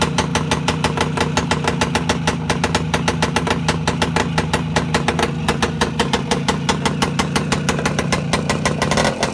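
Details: Voskhod 3 two-stroke motorcycle engine after a major overhaul at steady fast idle: crisp, even popping, regular firing with no misses or knocks; healthy.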